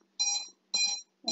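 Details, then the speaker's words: INAV drone with ESCs set to the DShot600 protocol: repeating high electronic beeps from the ESCs once the battery is connected, as they don't recognise the throttle signal; switching to the standard protocol stops the beeping. "so now if I let me show you when I connect the battery the es is uh start to beep the problem that I've told you about"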